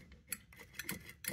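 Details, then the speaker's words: McDonnell & Miller #67 steam boiler low water cutoff: the float, stuck by rust growths, has been forced free; sharp irregular switch clicks as it is moved by hand show the switch now working. "and now you can hear the the switch clicking"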